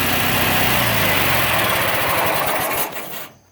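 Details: Bolens AJ Foyt 3014H lawn tractor with a Briggs & Stratton 14HP opposed twin, running after a solenoid replacement and rewiring with safety switches bypassed: fast, even buzz with no misses or knocks until it is shut off. Normal running.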